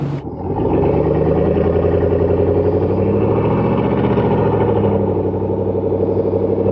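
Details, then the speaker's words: 2019–2021 Silverado V8 with cylinder deactivation, cruising: steady drone whose pitch shifts partway through, the helicopter-like tone shift heard as cylinders drop under light load. "if you do anything to the exhaust you can hear that cylinder deactivation constantly especially coming to a stop you get that little helicopter noise cruising on the highway you can constantly hear that tone shift"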